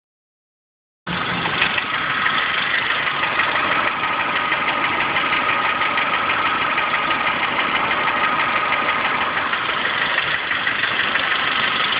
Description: My 03 Dodge Neon Sxt making knocks from the engine.